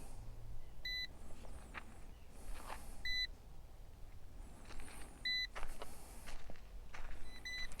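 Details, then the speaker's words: Ruko U11 Mini drone controller, switched on with app open: short two-tone beep about every two seconds outdoors while the controller waits to connect to the drone. "And now you'll hear the controller beeping while it waits to connect to the actual drone."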